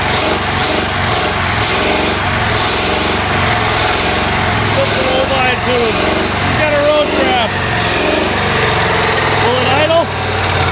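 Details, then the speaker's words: Abandoned 1993 Ford F150 after sitting 14 years, revs brought up: uneven, stumbling, loping idle that slowly settles; some injectors are dead and not firing, and it smooths out quite a bit. "Definitely got some dead injectors. Smoothed out quite a bit."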